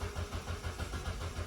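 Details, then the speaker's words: Ford Bantam Rocam 1.6 petrol after fuel filter replacement: steady rhythmic starter cranking at about five pulses a second with no catch while the fuel lines re-pressurize; the fuel pump only runs when cranking, and it starts on the next try. "Line should have been pressurized by now. But this first crank is pressurizing good."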